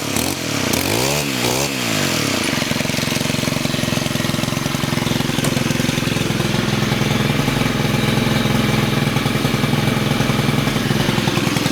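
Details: Stihl FS91R trimmer after clutch repair, started by pull cord: steady buzzy two-stroke idle with even firing and no rising clutch whine; normal idle.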